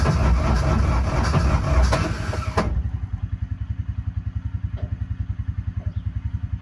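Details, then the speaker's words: 2014 Intimidator Truck Series UTV with a 1-liter Kohler three-cylinder diesel, cranked after the glow plugs warm up: slow, labored cranking at about 3.5 pulses a second that never starts. Weak battery and faulty starter. "so two things are happening here the battery for number one is not strong enough and secondly um the the starter is having some issues"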